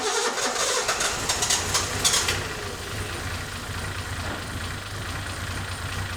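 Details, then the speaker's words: Datsun 260Z, carbureted, two carburetor rebuilds, long unrun then restarted: catches on the key after a brief crank and settles into a steady, even idle; sounds healthy despite doubts. "It's so weird that started right up, but we'll take the win."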